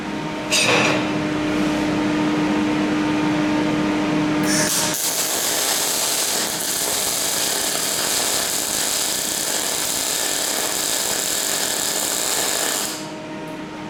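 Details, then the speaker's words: Parweld XTM211Di multi-process inverter in MIG mode on 3mm coupons: harsh, uneven crackling arc with loud popping through the whole bead; heavy spatter and droplets from voltage set too high, before voltage was turned down. "So you can see here, the voltage is too high. I've got quite a lot of spatter, some heavy droplets, and then I just drew back on the voltage a little."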